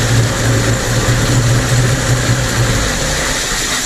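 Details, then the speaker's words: Mercury 50 two-stroke outboard (9M9XM00591C1), owned from new, after a new fuel filter. A low, steady burble holds an even beat without dips or stalling, the best it has idled since new: normal idle. "So with that running, you saw it run. That's the best it's ever idled since I've known Ben. He says it's the best it's idled since he's owned the boat, which it was brand new."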